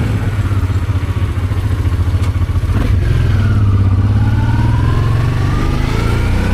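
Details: Honda Transalp 650 V-twin at first start after carburetor rebuild: steady deep beat rising cleanly on throttle blips and settling evenly; had started poorly after sitting two months, now runs smoothly with clean throttle response.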